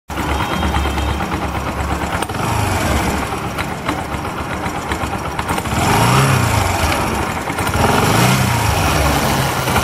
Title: Bajaj Discover 125 ST - Terrible chain sound